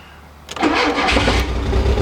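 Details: Automatic Mk2 VW Jetta after starter replacement: quick, strong crank and the engine fires straight away and runs with no muffler; new starter cured the no-crank, though it then died, likely out of fuel.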